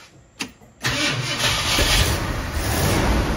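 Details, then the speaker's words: 1966 Ford Thunderbird, first start in years after sitting neglected and engine reassembly, weak battery on charger: brief crank, then rough, uneven fast idle that only keeps running on gas poured down the carburetor; owner suspects vacuum leak or fuel pump. "so I'm having to pour gas down a carburetor does all right"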